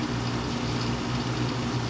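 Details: Whirlpool window air conditioner in a garage, just started, set to 79°: even low hum from the compressor with steady fan wash, no rattles or squeals; running normally.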